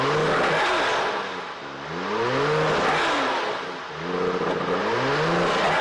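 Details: 1992 Lexus SC300 1JZ 5-speed that would not start, running after new spark plugs and ignition coils reinstalled: clean revs rise smoothly and settle back to an even idle, no misfire; normal running and revving.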